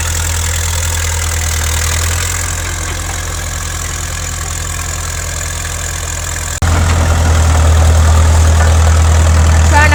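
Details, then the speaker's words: 1950s Caterpillar D4 crawler diesel, sat at least 20 years, started via pony motor after a temporary fix for a severed fuel line: deep, steady diesel chug that picks up firmly under throttle, no misses or knocks; normal diesel running. "The diesel motor, she's a kitten, of course, right? It's a Caterpillar. It runs really good."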